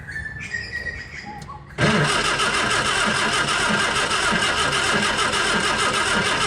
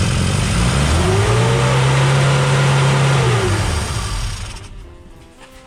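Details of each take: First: 1959 Austin Healey Sprite, first start after scratch engine rebuild, electrics and fuel system; clicks then steady cranking about three turns a second, no firing; no fuel reaching carburettor from mechanical pump, ignition unconfirmed, owner fears fuel pump fitted backwards. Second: 1959 Austin Healey Sprite small four-cylinder after engine rebuild; ignition 180 degrees out fixed by resetting points and swapping plug leads; steady even low drone, no misfire, running as it should after first start.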